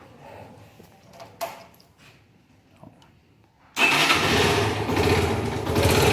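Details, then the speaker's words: 2013 Factor 125 single with low mileage, overdue oil change and low oil: after a quiet spell it fires up loud and harsh with a dry metallic clatter over the exhaust. Mechanic suspects piston slap from oil starvation, pending engine teardown. "Vectorzinho, cliente reclama do barulho do motor. E passou a quilometragem do óleo. O que aconteceu? O óleo baixou e fez o barulhinho no motor."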